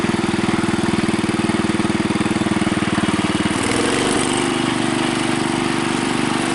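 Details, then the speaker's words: Bolens Husky 600 custom garden tractor with a swapped-in governed engine replacing a Briggs & Stratton with Zenith carbs, and new quieter exhaust. Even single thumps at quick idle deepen and smooth as the governor picks up under load. "You can hear when this engine senses a heavier load, it responds. And that's something I could never get with my old Briggs and Stratton engine and those Zenith carburetors."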